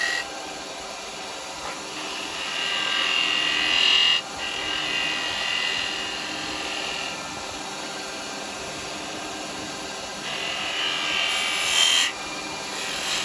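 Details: Record Power 1/4" spindle gouge cutting wood on a spinning lathe after being shortened and reground: steady, airy shaving hiss with no squeal or chatter; the tool cuts cleanly.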